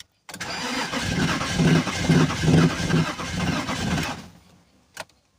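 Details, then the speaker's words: BMW Z3, long sitting, after priming the fuel pump several times: starter cranks evenly for about four seconds but the engine never fires; crank no-start, fuel delivery to be checked next. "again refuse I'll try again"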